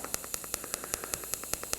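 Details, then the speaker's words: Arccaptain 200A AC/DC TIG welder, pulse TIG at 75 A, set to 5 pulses per second; steady hiss with sharp crackling pulses, even and regular throughout, pulse arc working properly. "Oh, okay, so we're pulsing. Whoa, that's a little trippy."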